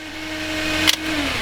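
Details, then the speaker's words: Honda CL9 with an automatic-to-manual swap, idling just after first start; a steady mid-pitched whine rides over the idle and sags slightly as revs settle, from the noisy power steering pump: power steering pump whine. "Of course, the power steering pump is noisy. Hopefully you can hear me."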